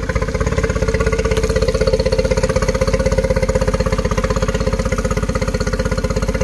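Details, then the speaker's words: 2013 Yamaha 9.9 four-stroke outboard diagnosed for rough running, compression good; idle measured 800 rpm, matching 800 spec; steady even putter about four pulses a second, no misses or knocks; clean idle on spec. "i put my uh my voltage meter on it with uh my dwell clamp and says it's doing 800 and spec is 800 so it should be perfect"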